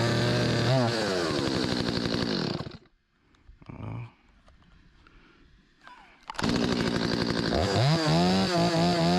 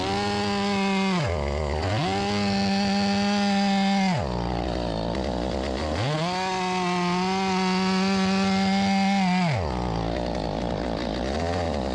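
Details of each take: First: Stihl 025 chainsaw after carburetor repair for hot-start flooding, refuelled and started on choke: crisp two-stroke revs climb and fall under throttle, drop briefly to idle, then rev cleanly; still needs slight adjustment. Normal running. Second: Stihl 025 chainsaw (about a 16-inch bar) that won't restart once hot, started on choke and low on gas: revs surge and sag unevenly, stumbling and dying between bursts. A stiffened carburetor diaphragm was flooding the engine. Carburetor flooding.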